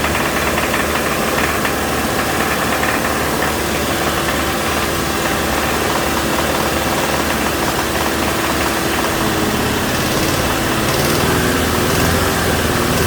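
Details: 2007 Toyota Tacoma 2.7 four-cylinder at raised rpm during a cylinder fuel-cut test: uneven, hard metallic bottom-end knock that turns into a double knock when cylinder 1 is cut. Teardown revealed a spun connecting rod bearing; there is also cold-start timing chain rattle.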